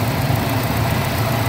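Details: Suzuki jeep (sports-built) after throttle body cleaning and a leaking part replaced; it had been stalling repeatedly and misfiring, now a steady, even low idle throb with no misses, knocks or hunting, running smooth.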